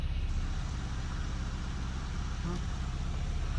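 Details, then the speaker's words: 2019 Porsche Cayenne S 2.9 V6 twin-turbo (EA839) first start after replacing seized rocker arms that tapped the camshaft: low, even idle rumble with no ticking or tapping; valvetrain quiet and healthy. "Sounds all right. So, the SQ SQ5. So, the Porsche Cayenne S is back on the road. There's no more tapping uh coming from the engine"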